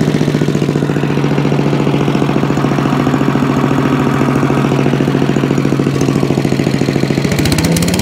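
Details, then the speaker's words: Allen chipper leaf shredder's small petrol engine, started stone cold on choke after carb cleaned twice: steady even beat, no misses or surging; running normally. "so there you go chipper shredder done okay so there you have it one chipper shredder now all done"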